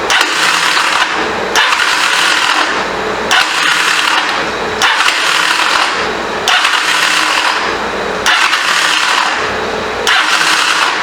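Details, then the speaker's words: 1985 Honda CMX450 Rebel, unused for 15 years, throttle stuck: short harsh cranking bursts every two seconds that stall before a full turn. Owner suspects a badly installed starter clutch or a bad starter; not confirmed. "That does not sound good. It sounds like to me the starter clutch is bad. Either that or the starter is bad. We won't even let it turn all the way over."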